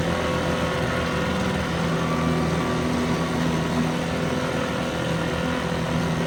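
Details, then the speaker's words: 1970 Evinrude 4 hp Lightwin outboard, probably not run for a month, running in a test barrel; steady, even two-stroke buzz at constant speed with no misses, knocks or surging: a good runner. "Well, this is another good runner. I'll shut the gas off now."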